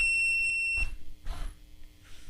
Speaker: so now the zombie is will be all the way down and as you can hear you got this uh tone going off